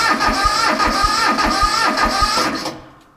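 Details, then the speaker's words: 1978 Bolens diesel tractor, cold-soaked at 32°F, fuel off, cranked on its battery alone: slow labored cranking about three compression beats/s with starter whir, then silence; voltage dropped below 10 V, starter turning over too slowly. "so you can see we dropped down below 10 volts there and that r creates a problem for the starter and you could hear how it was was not turning over very fast which is a problem"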